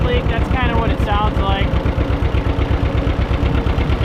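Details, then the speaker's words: Barn-find John Deere 630 tractor, just started on first try with good oil pressure. Lumpy idle with a light, steady tick on each firing pulse; exhaust manifold leak suspected. Later something goes wrong, blamed on a dirty carburetor. "Sounds like we got a little bit of a ticking noise, too."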